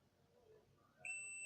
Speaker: ये देखिए इसका मतलब इसका मतलब हमारा वायर जो है वो एकदम ठीक है। अगर ये वायर कहीं कट होता तो ये बीप नहीं बचता।